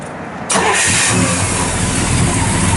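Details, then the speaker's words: Restored 1966 Chevrolet Chevelle SS 396, 4-speed, 138 VIN, mild cam, start: brief crank, V8 catches instantly and settles into a strong even idle with lumpy cam note; fires right up, healthy start. "Fires right up. A nice little cam in it. It's nothing real radical, but just good sounding cam."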